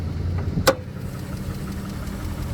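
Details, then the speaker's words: 2014 Jeep Grand Cherokee Limited with Chrysler 3.6 V6 at idle, engine bay: quiet idle with faint quick ticking and one sharper click; the known "3.6 tick" valvetrain noise. "With the 36, you get your notorious 36 tick."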